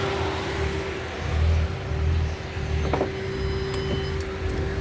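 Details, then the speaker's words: Engine runs rough with lumpy, uneven idle pulses under a steady cooling-fan hum once the fan kicks on, while chasing an overheating issue; idles perfectly but with a surge when fan is off, normally dies after fan engages; cause not yet found. "As you can hear, the fan is blowing. The motor is running rough now that the fan is on."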